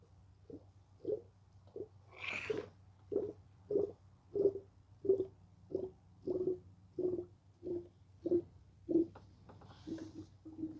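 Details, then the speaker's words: 2014 Volkswagen Tiguan 2.0 TSI cooling system drain, fill and bleed: irregular wet gurgles and burps over a low steady hum as the radiator hose is squeezed; trapped air bubbling through the coolant. "Right now you can hear the gurgling inside. You can hear the burping and the gurgling."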